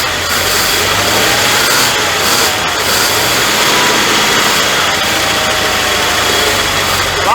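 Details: 1979 Dodge D300 one-ton V8, sat 20+ years in woods, first start: uneven stumbling idle barely holding on under loud steady hiss (likely vacuum booster); misfiring on two dead cylinders, lots of blow-by.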